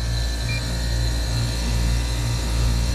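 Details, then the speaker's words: Commercial rooftop AC unit compressor after correcting reversed power phasing and tightening loose connections: even, steady low hum, no knocking or labouring; suction pressure drops, head pressure rises, suction line cold; compressor now pumping normally. "okay well let's uh kick power back on ooh that sounds a lot better and look at those pressures suction pressure's going down"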